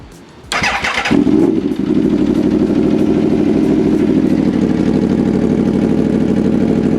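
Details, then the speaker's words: 2014 Aprilia RSV4 after reconnecting the intake air pressure sensors and hoses and clearing codes: starter whirr, then a steady, even idle with no revving up and down. No stored or new faults; running healthy. "Okay, good. So it's not doing that weird revving up and down thing there."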